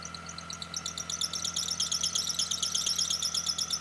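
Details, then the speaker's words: Engine drive belt: sharp high chirps about three times a second over a faint engine hum, typical of a slipping or misaligned belt; water-spray test separates a tension problem from pulley misalignment or bad bearings. "a worn belt can stretch over time and then start slipping off these pulleys causing you to hear that screeching noise from your engine"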